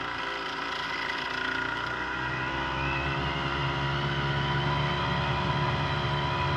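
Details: Brand-new Hangkai 3.5 HP two-stroke outboard, just started after priming, idling in neutral: steady, even buzz with no misses or knocks; normal running.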